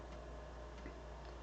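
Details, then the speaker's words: BBC Master Compact floppy drive, heads just cleaned, reading a disc: faint uneven stepper ticks that hesitate rather than march evenly, stumbling on track 0, needs more attention: floppy drive stumbling on track 0. "It's not sounding promising. It stumbled on track 0. Interesting. That one might need some more attention."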